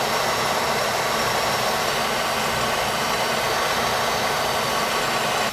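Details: Boiler after new circulator, expansion tank, relief valve and gauge installed and zones purged: even steady roar with constant rush, no banging, gurgling or surging; running normally.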